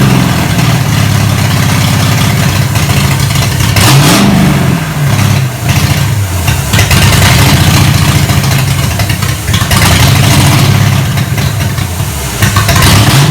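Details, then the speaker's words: 1987 Monte Carlo SS V8 after 20+ years sitting, open headers, fuel pump working: loud, lumpy uneven firing with revs surging and sagging, never idles; owner suspects Quadrajet carburetor gummed up from sitting. "okay success it runs uh little noisy a little noisy doesn't idle so i'm sure the old quadrant junk uh carburetor here is totally gummed up from sitting for 20 years"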